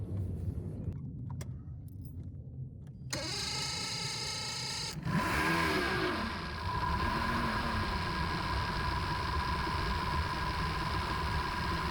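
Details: Outboard with performance issue, cold start during VST and fuel pressure regulator test with new ACU fitted: cranks, catches and settles into a fast, slightly uneven idle; fuel pressure read about 35 then 30; rich running suspected, cause unclear.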